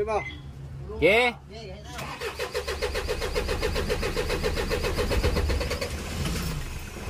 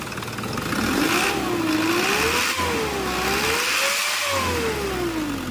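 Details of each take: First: Isuzu 4HL1 common-rail diesel with low power, hard starting and a rail pressure sensor no-pressure code: a short crank, then a long steady starter chug before it catches. Hard starting with long cranking. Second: Isuzu 4HL1 common-rail diesel after repair of hard starting and low power (rail pressure sensor code): four new injectors fitted and oil changed, now starts in one click without pumping, revs up and down smoothly; normal start and rev.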